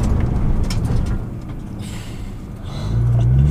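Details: 2014 Nissan GT-R after swapping squealing stock racing pads for cheap PosiQuiet pads, brakes warmed up, hard stop from 45 mph: only low road and tire rumble, no squeal or grinding.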